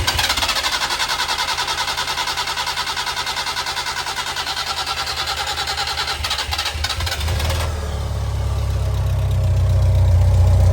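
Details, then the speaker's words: Engine restarted after reconnecting fuel pipe to pump and letting carbs settle: catches, settles to an even beat about three a second, then revs cleanly with no misses; running smoothly, settled now. "Give it some RPM. I think it's settled now."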